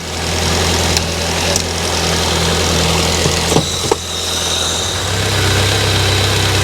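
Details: Rover 200Vi after overheating with steam on a main road, during a coolant flush and refill with breather bleeding: steady, even idle with a smooth low hum, no misses, knocks or ticks; engine running cleanly.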